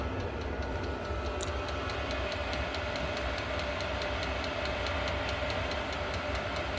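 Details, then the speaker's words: Diesel heater after a teardown and soot cleaning: a steady burner rush with a crisp, evenly spaced fuel-pump tick about two and a half times a second. It is running normally, still purging air bubbles, getting hot and smoking a bit. "Sounds good. Yeah, that pulser's giving her. Well, it feels like it's fired up."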